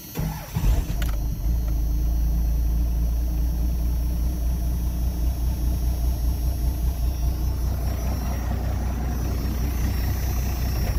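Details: 1992 Dodge 2WD single cab first-gen diesel, after cleaning: starts easily and settles into a slow, deep, slightly loping clatter; owner thinks idle is a little low and needs adjusting up.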